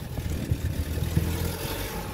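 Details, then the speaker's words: 18-reg Audi petrol, 25k miles, at idle: quiet, smooth low hum with no tapping, rattling or hunting; any noise is the sensitive microphone, not an engine fault. "they're both the same so it's not the uh it's not the uh it's not the engine at fault it's just the way the camera and the microphone's really good"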